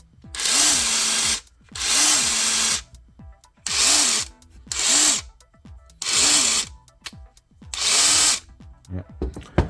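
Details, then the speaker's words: Ridgid 18V SubCompact brushless impact driver in auto mode: repeated one-second bursts that spin up, hold and cut out as it senses the fastener loosening or tightening enough, normal. "so it's making that noise because it's sensing and if it senses that it the bolt or whatever you are titing or loosening became loose or tighted enough then it will stop"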